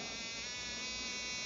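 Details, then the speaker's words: RCexl DLE30 ignition on a tester at about 7,000 rpm, powered by an A123 1100 battery drained to 6.5 V through a dual-diode voltage reducer, seeing about 4.74 V: dense, even high buzz with no dropouts; normal spark. "well it's bobbling around 4.74 volts that ignition's humming it's not missing a beat"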